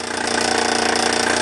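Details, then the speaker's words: All-original Bowman M175 toy steam engine with countershaft, run in live steam on its own burner, with a slight safety valve leak: rapid, steady chuffing at even speed, light and regular with no knocks; normal running. "Running very well. I've got a little leak at the safety valve, but I'm not worried too much about that for this steaming. But there you go, you can hear her working away there. Lovely little runner."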